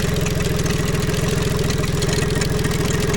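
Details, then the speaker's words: Tohatsu MFS 40A jet outboard running at about 45 psi, fuel filter half full, hot 30-degree day: even idle with a thin steady buzz from a recently replaced low-pressure lift pump that was spewing then dribbling fuel; pinhole fuel line later found. "That is the low pressure pump right there, and it's making a noise that I don't like."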